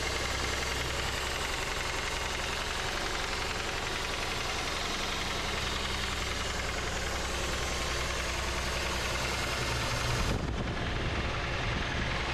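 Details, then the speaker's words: 1990 Chevy Cavalier Z24 four-cylinder after new fuel injectors and fresh oil and filter; the old oil was suspected of containing gas. Steady idle with a soft, even rhythm and only faint tapping, quieter than before; normal idle. "I quieted it down a bit. Oh, that definitely helped the uh Oh, that sounds good."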